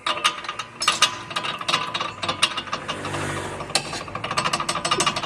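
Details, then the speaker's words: Brake pad loose in its caliper because the retaining clips were bent to ease fitting and lack pressure: sharp, irregular metallic clicks and clacks as the pad shifts, e.g. over cobblestones; an annoying knock. "e esse barulhinho incomoda demais"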